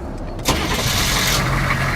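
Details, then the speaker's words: Humvee, started right after a battery was installed: the engine catches almost instantly on the first turn and runs straight into a steady, even idle. A clean, healthy start. ">> Oh, yeah. Fires up. Like >> that starts faster than any Subaru on Earth."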